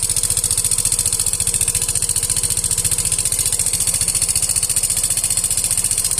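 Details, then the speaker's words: Yamaha Fino 125 scooter idles with a loud, busy metallic "keletek" clatter riding on its steady low thump; noisy engine complaint. "Pada video kali ini saya kedatangan Yovino 125 dengan kendala suara berisik dari bagian mesinnya teman-teman. Teman-teman sudah melihat tadi, mendengar bahwa suaranya sangat berisik sekali."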